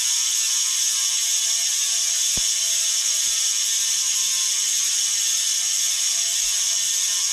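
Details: Bontrager Aeolus Pro 3V wheel with DT Swiss internals on 2022 Trek Domane SLR7; fast, even high-pitched buzzing ratchet while coasting, loud pawl sound; normal healthy freehub clicking.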